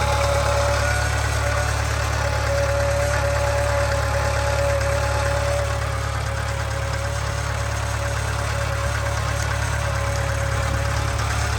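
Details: 2013 Subaru 2.0 Boxer at idle: steady low drone with a regular light knock about three or four times a second; engine knock and hum, source unclear.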